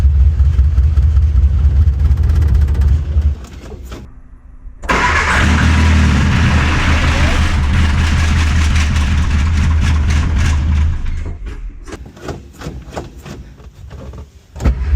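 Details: Austin Mini 850 pickup, barn find stored 30 years, fed from a fuel drip bottle after starter switch wiring repair: cranks briefly, catches and settles into a steady low idle with even beat; runs fine.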